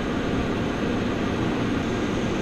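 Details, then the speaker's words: Mitsubishi Outlander PHEV after towing a roughly 380–400 kg trailer: loud, even rush of air with no rattle or grind as the aircon cools the battery pack; the battery cooling fan is running hard but normally. "so we've got a little bit of higher consumption now with the aircon cooling down the battery pack but that's that's fine"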